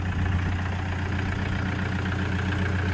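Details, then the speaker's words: 2009 Toyota Commuter 2.5 D4D diesel van idling. Steady, even diesel idle with a low, smooth beat and no knocks or rattles. Quiet, healthy engine. "เครื่องเงียบๆเลยนะครับ"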